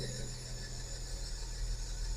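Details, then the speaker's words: 2005 Mini Cooper S (R53) auction car that had been sitting: a steady high-pitched screech over the low idle right after starting. Owner suspects the tensioner pulley; the noise seems to come from the engine front but is on one side. Belt squeal. "I haven't diagnosed that yet um it's very possible that that's that tensioner pulley screaming like that I'd imagine I don't know it's crazy cuz it sounds like it's coming from the front of the engine but it's obviously on this side somewhere"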